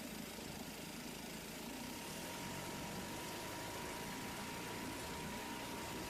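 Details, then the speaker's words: 1971 Sears ESKA 5hp outboard after fuel tank cleaning and idle and jet tuning: quiet, steady running with no sputter or dropouts; motor now running fine and responding to adjustments. "that's great looks like oh it's working oh no I mean Seoul Motor started working just fine now I play with the idol and the jet school a little bit and everything seems to be responding"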